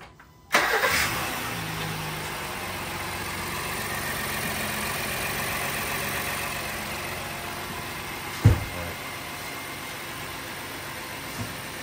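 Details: Third-gen Honda Pilot (2016-2021) after serpentine belt replacement with a Bando 6PK1200: quick crank, clean catch, then a smooth quiet idle with no belt squeal or chirp; runs normally.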